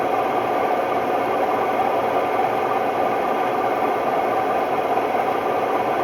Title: Hotpoint Ultima WMD960 washing machine || Test spin: My ears were left ringing… bad bearings!!